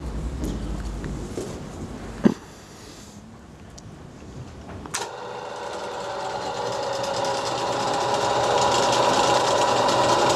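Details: STD-120M lathe, first start after major overhaul: motor kicks on around five seconds and builds to a smooth, steady whirring hum of gears; even, clean run, lathe sounds right.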